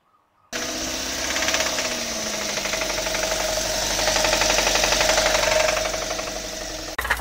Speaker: so the term rod knock is pretty common and a lot of people have heard it and essentially just means that the connecting rod from the crankshaft of the Piston has a bad bearing